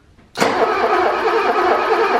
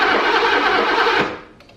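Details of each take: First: 1985 BMW E24 635CSi that sat for years, crank-no-start diagnosis: steady, even cranking churn for about 3.5 s with light ticking, turning over normally without catching, just after swapping connectors; the ticking suggests spark is restored. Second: 1985 BMW E24 635CSi, revived after years of sitting, new main relay fitted: starter spins the engine evenly but it never fires; still no spark, pointing to the two bell-housing crank position sensors.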